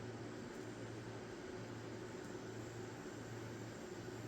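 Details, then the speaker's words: Wormhole tattoo pen kit, new, run at about 5–6 volts: even low hum with a light steady buzz and no rattle or knock. Normal smooth, quiet running. "Okay. You can't even hear it."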